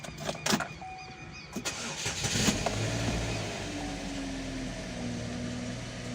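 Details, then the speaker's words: Chevrolet Captiva on a rainy morning with engine light on: cranks and catches with sharp rattling clatters at the front before settling to idle; classic timing chain rattle, chains to be serviced. "tá fazendo um barulho de chocalho lá na frente lá tem problema clássico das correntes aí bacana"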